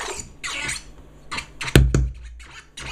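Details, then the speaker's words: Brand-new Numark NS7FX used with a 2.0 GHz quad-core MacBook Pro: scratching through the speaker is broken by loud, sharp clicks and pops with a heavy low thump, and the limiter engages. The unit works fine with another MacBook. "you see I get this clicking sound from the speaker and then limiter also engages"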